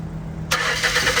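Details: Car with dead battery from sitting, jump-started with Hulkman Alpha Pro jump pack at 57%: half a second of quiet, then the starter spins briefly and the engine catches and settles into an even run; a clean start.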